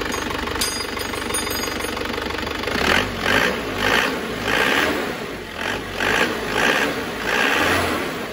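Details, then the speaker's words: Isuzu Panther diesel, restarted after the injection pump timing, found too retarded, was advanced; harsh rattling knock surging when revved, and the timing is now judged slightly too advanced; pump fuel delivery also found too low. "suar kemajuan terlalu maju dikit"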